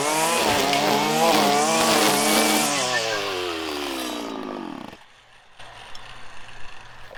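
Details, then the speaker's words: 1997 Stihl Pro Series FS two-stroke trimmer: a high screaming full-throttle note is held while cutting grass, then drops away cleanly on release. The tune sounds right and normal. "all right you can see it cuts very well there and it frankly doesn't care about how deep you buried into something except on the plunge cut"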